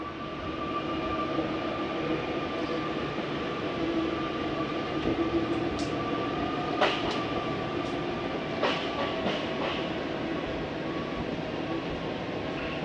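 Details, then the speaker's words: Jayco Jay Feather 25RB travel trailer slide-out retracting: steady motor hum with thin tone, then brief rough grinding bursts as slide bottoms out; normal end-of-travel stop, nothing wrong. "I do want you to hear that little grinding noise. It's okay to hear. There's nothing wrong with your slide. That is just the slide mechanism telling itself not to go back in any further."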